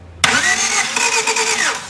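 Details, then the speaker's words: 1991 Honda Civic after more than 10 years sitting, started on a jump pack because its battery was dead, no coolant in: a short crank with a quick catch, then a smooth, even idle; normal start. "Oh, hey, something happened. Hey, dang! It runs smooth."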